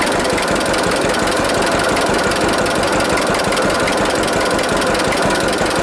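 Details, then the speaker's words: 1946 John Deere AR two-cylinder tractor warming up after brake band repair, heard under heavy wind rush. An even, loping putt-putt firing steadily with no misses. Normal, healthy idle. "so that sound nice trouble is the camera's got the wind cut on it and it really affects the sound of that a lot"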